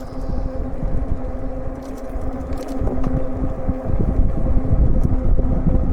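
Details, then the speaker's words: E-bike cruising on pavement at a steady 14.5 mph: steady tyre hum with only a faint motor whir; normal quiet cruising. "And this bike is very quiet. The only thing you basically hear really is the tires humming on the pavement here. The motor is really quiet."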